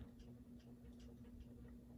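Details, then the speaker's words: Ceiling fan on medium after being reassembled: steady hum with a light regular tick two or three times a second. The ticking is still there but quieter than before. "oh man it's still ticking but not as loudly it's making a small ticking noise now which is not as bad now"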